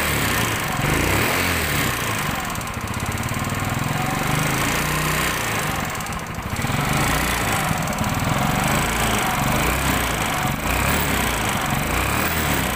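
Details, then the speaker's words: Yamaha Mio Sporty scooter: steady loud coarse clattering run with harsh rattly edge; suspected history of running out of oil, with loose valves or camshaft trouble also possible. "Oke seperti yang kita dengarkan tadi bahwa suaranya sebegitu kasarnya kita mendengarkan secara awal ini sekilas kayak ada riwayat kehabisan oli"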